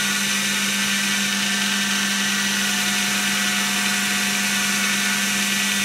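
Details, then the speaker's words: Second-prototype 2x72 belt sander/grinder with gas-piston belt tensioning, some wheel vibration noted: smooth, even motor hum and belt hiss at half speed with no knocks; tracking is very good. "Running up to half speed. Tracking is really nice."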